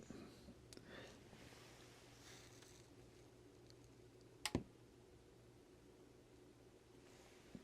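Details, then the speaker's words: TPA3116 amplifier board with paralleled channels at switch-on: one small, sharp pop about halfway through over quiet room hiss; a mild turn-on thump, not very loud. "Okay. There was a pop. It wasn't that loud though, but I heard that little pop."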